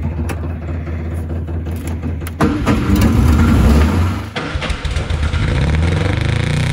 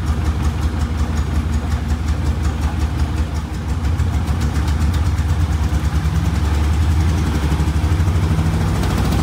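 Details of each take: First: 1962 Austin Healey Sprite Mark II, long-sitting, first start attempt with carb pistons frozen and one choke engaged more than the other: cranks, catches and stumbles with uneven firing and surging revs, never settling; carbs need adjusting, slight tailpipe smoke from added oil. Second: 1962 Austin Healey Sprite Mark II, long-sitting, after priming the oil pump to cure no oil pressure: low steady four-cylinder burble with even pulse, no ticking or knocking; idles cleanly with oil pressure up.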